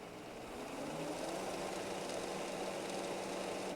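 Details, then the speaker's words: Printer fuser motor during component test for error 13.05, driving fuser, delivery and paper feed belts: faint, steady even-pitched whirring hum without catch or knock; belts seen turning, motor running normally. "I don't know if you heard the motor turning there but I could see the belt turning"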